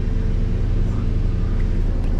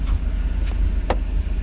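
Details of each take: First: 1991 Mercedes 500SL, 39,000 miles, warm at about 82 on the temperature gauge, in drive (should be about 550 rpm): idle hangs high and steady, slow to drop back to normal; owner suspects heat and a sticking throttle linkage despite two new idle control valves. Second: 1991 Mercedes 500SL, 39,000 miles, warm idle at about 85 on the temperature gauge for a recurring high idle despite two new idle control valves: low, steady rumble with a few light clicks; normal warm idle.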